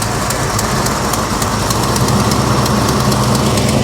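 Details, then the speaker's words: 1969 Chevy Chevelle SS V8 idling with light throttle blips, with a faint light ticking from up front. It is a very slight exhaust header leak. "Yeah, it's got a very slight header leak. That's not bad."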